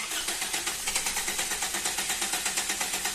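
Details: Toyota Corolla GLi, uneven idle with a lumpy skipping beat about two per second and dropped pulses; engine missing at idle, cause suspected, not confirmed.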